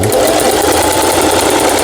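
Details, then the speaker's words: Singer 4432 sewing machine after repair (was noisy from new, parts knocking, overlock stitching failing): fast even chatter at steady speed, no knocks or binding; normal running. "이제 수리를 마치고 박음질 해본 영상이었습니다."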